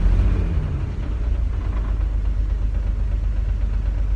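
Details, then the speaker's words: Chevy S10 Blazer's first start after sitting five years, once a new Delphi fuel pump replaced a dead-on-arrival Walbro: a low, steady rumble settles into an even idle after catching, with no knocks or misses; normal idle. "It worked! It runs after 5 years, it runs!"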